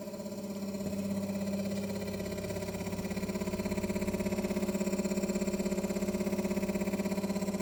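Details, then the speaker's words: Kroak car fridge set to 3 degrees, at 5 after 10 minutes: loud steady hum with fast throb, 65 decibels; compressor struggling, barely dropping 2 degrees in 10 minutes. "So even in 10 minutes it's struggling to drop 2 degrees. And that's the noise running at 65 decibels."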